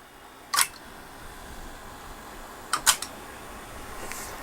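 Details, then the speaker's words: GAF model 102 Rols dictation machine, pre-restoration with its mechanics now running. Sharp single clicks, then a quick double click, over a quiet hum as two solenoids push the head-scanning lever back and forth. Normal solenoid reversing clicks. "here you can see the solenoid mechanism in action right here there's two little solenoids which push the lever back and forth"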